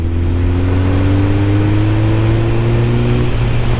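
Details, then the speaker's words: Suzuki GSX-R 1000 accelerating after repair of a first-cylinder problem (suspected rust-clogged injectors): smooth, steadily rising note pulling hard, all four cylinders firing cleanly and evenly. "but uh when I just push it a little bit let's try I'm scrolling down I'm pushing it"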